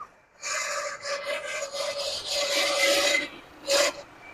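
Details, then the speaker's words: 1979 Lincoln Continental, first run after 32 years stored: raspy, scratchy steady high squeal comes and goes over quiet idle; owner thinks smog pump (alternator also questioned), may go away, plans to cut its belt. Smog pump bearing squeal. "I think it's the smog pump. It may go away."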